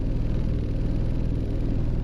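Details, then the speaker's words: 2016 Ford Explorer on a road test: deep, steady low rumble with a throbbing pulse and no misfire felt; it feels like a crankshaft-type engine vibration, origin unclear. "That sounds like feels like an engine vibration, like crankshaft type of deal."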